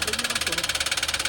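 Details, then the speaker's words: Toyota Wigo that swallowed water through its air cleaner: sharp, evenly spaced metallic knocks about fifteen a second over the idle, from a connecting rod bent by the water; oil added to the combustion chamber against rust. "Bumalukkot na. Bumalukkot dahil sa tubig."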